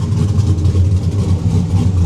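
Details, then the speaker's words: Drift car just after oil change with fresh 20W-50: smooth, even low idle rumble with cooling fan whirring, no knocks or misses; 50 psi oil pressure at idle at 175°, healthy engine. "Looking good. 50 lbs at idle. And that's yeah, at 175° still got 50 lbs of oil pressure. I'm happy with that."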